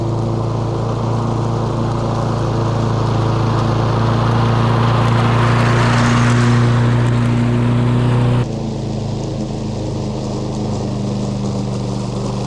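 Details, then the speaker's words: A curbside-found John Deere JS40 push mower, with its carburetor reinstalled and fuel fed before full reassembly, runs with a steady, even drone at constant pitch and no misses or knocks: it's a runner. "so the John Deere's a runner the js40 picked off the side of the road"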